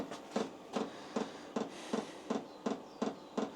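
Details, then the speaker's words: Hcalory diesel parking heater in a workshop in its startup priming cycle, fuel pump pulling fuel in as the fan grows louder and faster: even soft ticking nearly three per second over light fan hiss; normal startup. "So, that's into its priming cycle. So, it's now pulling the fuel through into the engine. If you can hear the actual this fan's gradually getting stronger, it's getting louder and it's getting faster."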